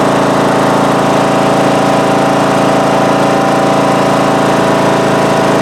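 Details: Craftsman mower from about 2010 with a 19.5 HP Briggs & Stratton single-cylinder engine, after re-gluing loose flywheel magnets that caused a loud vibrating tapping noise: loud, even, steady drone at full throttle with no knocks; normal running, charging about 12.8-12.9 V.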